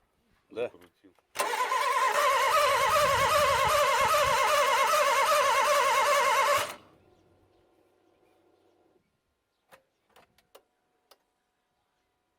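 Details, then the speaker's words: Toyota 1NZ-FE engine after LAVR ML-203 decarbonizing, plugs and coils reinstalled: about five seconds of even starter cranking, roughly 3.5 beats a second, engine never fires, then silence. "Итак, двигатель у нас заводиться отказывается. Но ничего, как говорится, не хочет — заставим."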